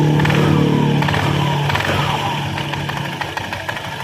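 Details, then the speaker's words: Honda Scoopy (K44) scooter, before repair, weak power and rough CVT sound: revs then settles with a thin squeak sliding down in pitch as revs drop, from front roller area, possibly worn roller housing or loose ramp plate. "there's a squeaking sound, Kang. Bro, the squeaking sound usually comes from the front roller area, it could be from the roller housing which has worn out or the roller itself or from the mop."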